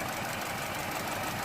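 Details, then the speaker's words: 2008 Vauxhall/Opel Corsa D 1.4 petrol with multiple trouble codes, heard idling near the exhaust: a steady hum broken by a faint stumbling beat, an engine misfire at idle. "hope you can hear it it's definitely missing and again"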